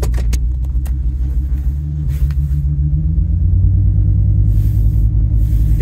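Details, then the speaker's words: 2002 Ford Excursion V10 under way: deep rumble stumbling unevenly; misfire on cylinder 6 from a failed ignition coil, confirmed by swapping coils 1 and 6, not yet showing in DTCs. "so it'll be smooth for a second then that rough idle so that uh that coil is not firing"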